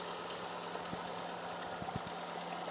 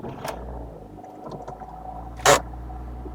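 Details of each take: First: Ford Focus, high mileage, warm steady idle with low even hum and odd faint tick; no knock or lifter noise, no tailpipe smoke, idles down fine though idles high on startup; engine sounds healthy. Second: High-mileage Ford Focus, cold start with exhaust watched: it comes up at a raised, fast idle, then drops back to a steady, even idle with no knock, lifter noise or smoke. The owner wonders whether the high cold idle needs adjusting.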